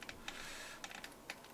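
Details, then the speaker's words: RC car spur gear and clutch bell mesh, checked after retightening four motor screws, spur held and bell rocked: light crisp plastic clicks showing small play; gear backlash set correctly. "Le réglage est impeccable, donc on entend d'ailleurs le bruit. Voilà, on a un tout petit jeu qui est parfait."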